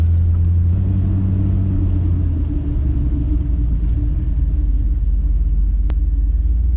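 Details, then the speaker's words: 1988 Chevrolet Suburban after lowering and rear brake adjustment, rolling: heavy low rumble with uneven scraping drag from the rear; rear brakes or driveshaft suspected, cause not found; there is also an exhaust leak under the hood and no tailpipe. "you got something dragging big time what is it though drive shaft"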